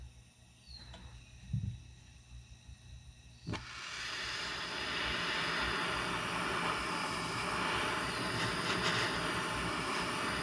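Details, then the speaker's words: 1949 Coleman 242C lantern after rebuild, check valve and generator troubleshooting, preheated with a torch: clicks and a pop, then a soft steady hiss; burning normally, though the worn generator keeps it from running great. "now you can kind of start to hear that normal lantern sound that kind of light hiss"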